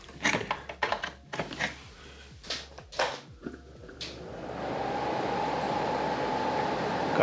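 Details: Oscillating fan after snapped plastic pivot mount, cause of grinding and seized oscillation, repaired with epoxy and reassembled: handling clicks and thumps, then steady even air rush without grinding or rattling; runs normally.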